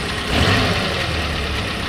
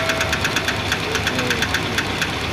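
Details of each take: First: Suzuki Carry 1.0 petrol engine idling with clutch pedal pressed after clutch replacement: steady, no metallic rubbing or whine on top; earlier noise on pressing the clutch is gone. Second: Suzuki Carry 1.0 at idle: quick light ticking about five a second that disappears when the clutch pedal is pressed, so not from the engine but the clutch area; clutch removed to confirm; clutch release bearing knock at idle.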